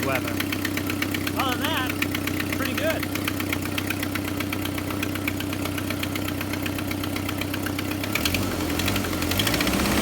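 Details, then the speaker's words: Jeep Wrangler TJ at idle during an early-spring inspection: quick, even ticking puffs about four a second that follow engine speed; the exhaust manifold is blowing by at the back end, not the timing chain. "what you're hearing is that a dog manifold way at the back is blowing by on the back end so that's definitely going to tackle"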